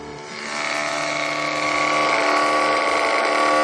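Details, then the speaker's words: Homemade Gerard Morin pump built into a box, run cold outdoors: steady motor whir with a faint rapid rasp as the pump turns over, a bit stiff because its grease is cold; expected to run smoother once warmed. "There is some grease on that pump, so once everything gets going, it's kind of cold. You know how grease is when it's cold. So once that heats up in there and expands, it's going to run more smoothly."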